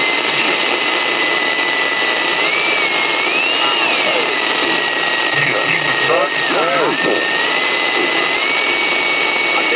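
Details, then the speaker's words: Panasonic shortwave portable radio (RF-2600 vs RF-1150 comparison): steady loud hiss across the band with a wandering whistle and faint warbling stations barely above it; high noise floor, partly suspected interference, cause not confirmed. "it seemed like there's a real high sort of a noise floor and the station weren't really coming over that noise floor"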